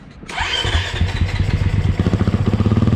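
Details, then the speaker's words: Stock KTM 350 EXC-F that wouldn't start (starter suspected), after battery replacement: short starter whirr, fires at once into steady quick even idle thump; normal electric start, fixed. "Hey, we fixed it! Always feels good when it goes that easy."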